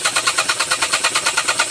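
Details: 2022 Geely Okavango 1.5L: rapid, even cranking whirr, about eight pulses per second, with no catch or firing; a hard start, with a clogged fuel supply suspected.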